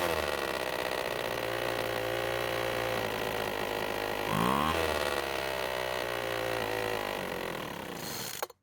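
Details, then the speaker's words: Poulan Pro two-stroke leaf blower, after stopping mid-use, started with fuel sprayed in the carb: buzzy high-speed running with a metallic dirt-bike-like rattle through a quick rev; loose cylinder bolts. "surprisingly it started and ran for quite a long time however there was a weird rattling noise that it wasn't making before i think it sounds kind of like a dirt bike"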